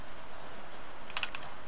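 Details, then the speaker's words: C4 Corvette LT1 PCV valve shaken by hand gives a few light plastic clicks, showing it rattles freely and is not stuck. "there you can hear it rattling a little bit so I shake the camera as well I'm probably dizzy um should rattle a bit as well"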